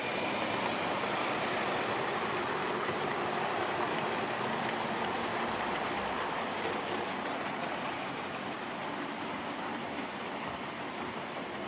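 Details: Old Lima Class 31 model locomotive in freight livery after overhaul with an extra pickup added on the front bogie, running on the layout: steady, even whir with regular wheel clatter, no surging or cutting out; normal running.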